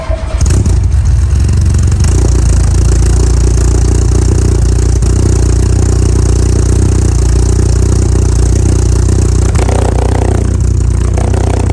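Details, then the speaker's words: VW Mk2 Golf GTI 2.0 8v project build, engine heat cycled a few times, backed into the garage: deep, loud exhaust rumble through steady revs, clean and even with no knocks or rattles; normal exhaust note while revving. "a little bit too windy to let you guys hear the exhaust outside, so I backed it in. Thought I'd give you some good sound clips on this exhaust."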